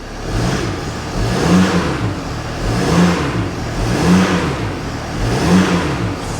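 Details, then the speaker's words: Mercedes ML350 with a replacement engine just installed, first start after long cranking to refill a bone-dry fuel system, a few warning lights on: four smooth, even revving blips with no knock or rattle. Sounds healthy. "It sounds good. It sounds really good. I can't believe it, basically."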